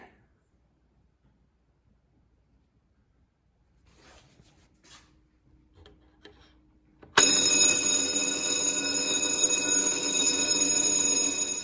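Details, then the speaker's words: Classic Simplex vibrating fire alarm bell after adjustment, a failed bell from an inspection deficiency brought back by turning the adjusting screw instead of replacing it: loud, steady metallic ring with even hammer strikes; normal operation. "interesting enough the way a vibrating Bell works is you have a coil and when the coil is energized it will pull the hammer down"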